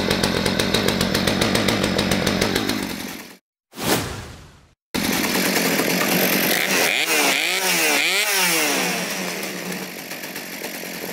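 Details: Poulan P3416/P3314 chainsaw idling outside after cleaning, hose replacement and carb rebuild: steady high idle buzz, briefly stalls and restarts, then runs evenly with a few blips; sounds normal.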